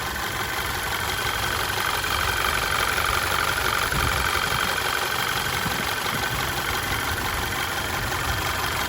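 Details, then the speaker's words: Audi Q5 2.0T TFSI with replacement engine, after driving a few miles: steady even idle, fine fast injector tick over smooth hum, no lifter clatter; normal idle, the proper sound. "So this is how the engine runs now after it's been driven for a few miles. All right, this is how it's supposed to sound."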